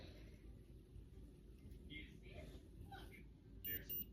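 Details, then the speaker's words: Omnipod 5 insulin pod being filled: two short high beeps confirm it holds at least 85 units of insulin. "And then once it beeps, you know that you have at least 85 units in the pod."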